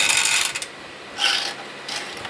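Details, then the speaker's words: Used vintage 00 gauge model locomotive from an untested job lot: small motor whirring in uneven scratchy bursts instead of a smooth hum, sounding unhappy; rough running motor, cause not yet known. "doesn't sound very happy though. Oh no, that really does not sound very happy."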